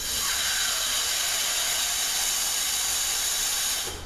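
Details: Air check of the original end cover on a Toyota U660E 6-speed automatic transmission (delayed engagement into drive when hot): strong continuous high hiss of air escaping around the C1/forward clutch barrel for several seconds, then dropping off; C1 clutch piston seal leaking.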